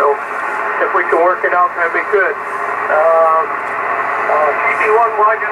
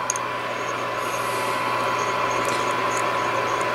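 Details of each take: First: Yaesu FTDX-560 ham transceiver, antenna on 40 meters: clear receiver hiss with voices drifting in and out while tuning; receives stations normally, clarifier works, 25 and 100 kHz calibrator not working. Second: Yaesu FTDX 560 vintage ham transceiver from an estate sale, 1 kHz generator signal injected: steady receiver hiss with a faint fixed tone that never shifts wherever the VFO is set; dead VFO, not oscillating.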